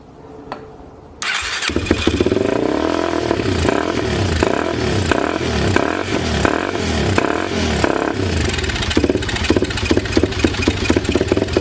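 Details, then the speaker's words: 2004 Yamaha TT-R 250 dirt bike that had been sitting and reportedly needed a carb clean: rough, churning steady cranking for about ten seconds without catching; fuel valve was found turned off, a possible cause, not confirmed. "yeah oh i had the gas off well that might be another reason"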